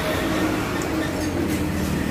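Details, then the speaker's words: Yamaha Xeon carburettor scooter, electric starter button pressed: steady electric whirr with no engine turning over; starter motor spins freely without engaging, mechanic suspects worn or broken one-way starter clutch. "ini tombol starter tapi kok kenapa di sini dia tidak nyangkut tidak kuat besarnya tidak ngangkat misalkan akan dia motor doang ya"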